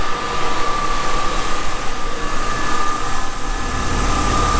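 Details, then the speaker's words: BMW E30 six-cylinder race car after cooling system flush and refill: steady, even petrol idle with smooth low rumble, no misses, knocks or ticks; running well, coolant level steadier. "yeah this is the the definitive proof that she's running well"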